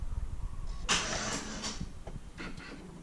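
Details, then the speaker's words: Truck that won't start, terminals cleaned, dash voltmeter just above 9 V: a short, feeble starter groan and a few clicks, then it dies without catching; the battery is too low to crank the engine. "so as the truck dashboard Rab you barely over 9 volts it isn't always 100% accurate coming from the dash but it shows the battery's extremely low"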